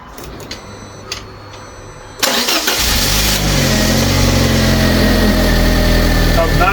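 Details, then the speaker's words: Fiat 500 after a new head gasket and refitting the workshop-repaired cylinder head. A quick crank catches at once and settles into a steady, even idle with no knocks or misses; normal start, sounding better than before. "sound better than it did before. Come out. Sounds nice. That sounds a lot better than what it did the first time around."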